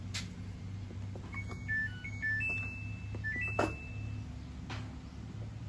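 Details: Samsung inverter washing machine, after rewinding its DC motor (coils A, B, C in star connection) for a fault of knocking and not spinning: clear rising and falling chime beeps over a low steady hum at power-up; normal start-up.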